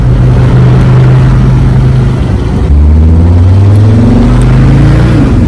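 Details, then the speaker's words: Mercedes OM617 diesel swapped into a Jeep, driving under load after lift pump rebuild and replacement of rotten primer pump whose plunger had broken inside; pitch rises and falls smoothly with no knocks or misses, running great. "And then... kind of hard to shift and film, but this thing is running great."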